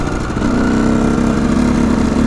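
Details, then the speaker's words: KTM EXC 125 two-stroke, which previously stuttered at high revs as if hitting a rev limiter, now running again: strong, even wail climbing smoothly with throttle, no stutter or cut-out; normal revving. "jetzt geht es auf jeden fall jetzt dreht sie wieder normale hoch"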